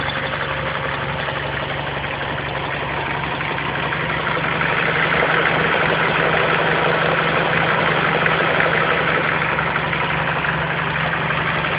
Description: VW Golf 5 GT 2007 strange noise.